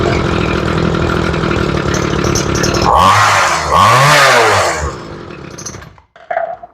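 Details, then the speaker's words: Ryobi two-stroke weed eater after carb and fuel line replacement, idle screw turned way out: revs surge twice, then sag and stumble toward stalling, not getting enough fuel at idle. Lean idle, fuel starvation. "turn the idle way out thinking I've gotten away with it but I didn't definitely not getting enough fuel at idle just a little bit"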